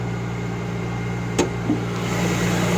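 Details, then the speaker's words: Mercedes GLK 350 cold start on a cold day: faint steady high whistle at idle from a dry belt idler pulley bearing; whistle temporarily silenced by spraying the pulley. "вот холодно сейчас на улице садимся в машину включаем и заводим и слышите звук свист"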